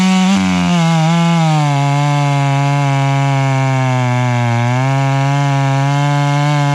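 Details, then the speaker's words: Stihl MS 461 chainsaw with Westcoast Saws dogs, bark box and Maxflow air filter, retuned, cutting wood: steady high note that sags and recovers under the cut, burbling four-stroke when not pulled hard; carburettor running rich. "she's running plenty Rich you can hear that four stroke if I'm not in it hard"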